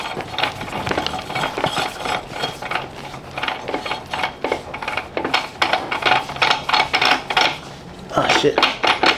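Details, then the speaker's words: 1994 Toyota Celica GT A140E transaxle differential, original unit off the car, axle turned by hand: rough, uneven scraping and grinding as it binds up, unlike the junkyard Camry differential, which spins freely; this side is bad. "Yep. There you go. It's binding up. Yep. So that's a no-go. So y that side is bad."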